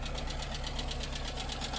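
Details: Car with 1.0-litre Skoda engine, at idle: light, even ticking about six per second over a steady idle; lifter tick, owner suspects oil pressure, not confirmed, oil level sufficient and engine runs reasonably.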